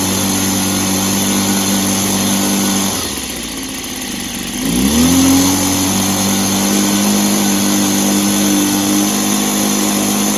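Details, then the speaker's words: Echo PB265 ESLT backpack blower two-stroke after new crank bearings fitted, first start in a long time: steady buzz, brief dip and slowdown, quick climb back to smooth even run, no rumble; much quieter than before, carb better. "So, success. It's a lot quieter than it was, which it should be because it has some new bearings in. The carb seems to be better."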